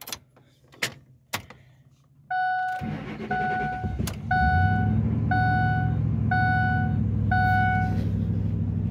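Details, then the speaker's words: Truck whose accelerator pedal didn't work, first start after a new throttle body: brief crank, catches at once, then steady smooth idle under a repeating dash chime. Normal start; pedal now works. "starts up let's see if the accelerator pedal works yay actually works now go figure"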